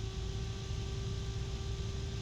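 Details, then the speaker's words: EK Furious Meltemi 120 mm PC fan near its lowest speed, around 800 rpm, measured 60.9 dB: steady loud rush of air with a low hum and faint tone underneath; fan running normally. "okay there's a very low hum to it and it's loud 60.9 DB loud so think about that"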